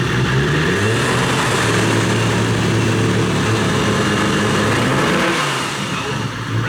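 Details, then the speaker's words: Nissan R34 GTR, HKS RB28 six-cylinder damaged by a missed 2-to-1 downshift, after new spark plugs, warming up: better at idle but ragged and breaking up when revved; valve shims next. "up yeah it sounded better with the spark plugs at least at idle once once we rub it up we're still breaking up ain't going to be that easy folks"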